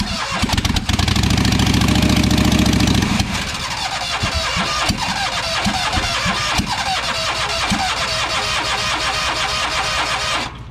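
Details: Ferris mower, cold start: the starter grinds about three seconds before it fires, then it runs loud and a bit uneven; a hard cold start, cause not yet known.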